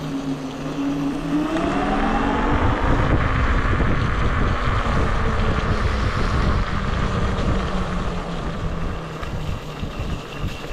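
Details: Wolf King GTR electric scooter ridden on the Taff Trail: a rhythmic rubbing swish, three to four a second, over motor whine and wind; the rear disc rubs the pads, either bent or the wheel needs alignment.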